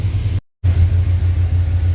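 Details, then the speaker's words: 1989 Chevy Silverado after replacing coolant temperature sensor that caused no-start: still idling after about 8-10 minutes, idle dropped normally once warm; steady, even low rumble with no misses, knocks or stumbles after a short dropout. "still running still idling it's idled down uh once it warmed up a little bit which is normal I tentatively think that that fixed it"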